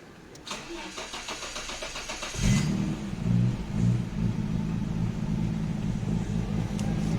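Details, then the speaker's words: 1989 Nissan Skyline GT-R R32 with RB26 engine, start-up after refurbishment (rear diff bearings replaced, fuel overflow hose leak fixed): starter whirs briefly, catches cleanly, blips once or twice, then settles into a smooth, soft idle; normal. "listen to that idol nicely done soft"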